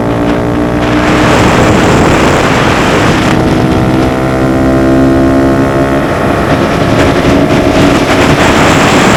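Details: Honda Grom at speed after DHM S1 camshaft install with aftermarket exhaust: strong busy drone holding high revs with wind rush, single pulls cleanly and evenly; holds the 60s much stronger; normal running under load.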